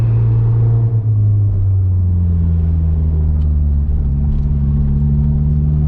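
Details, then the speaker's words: Honda S2000 on a test drive after a fuel injector swap: deep, even hum rising smoothly with light throttle cruising, no stumbles or hiccups; the sputtering appears gone and idle is smooth. "Safely say that sputtering issue seems to have gone away. My light throttle cruising around has been really good."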